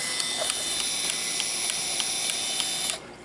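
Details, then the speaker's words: Fuji Discovery 1000 Zoom Date 35mm camera on closing the film door: a thin high motor whir with light rhythmic ticking for about three seconds as the roller advances to detect a new roll, then stops cleanly; normal film advance. "Ese sonido que escuchamos lo va a hacer cada vez que tú abras la compuerta y la cámara va a entender que tú has introducido un rollo nuevo. Entonces ella va a avanzar, este rodillo lo va a mover para detectar si efectivamente pues hay un rollo nuevo o no."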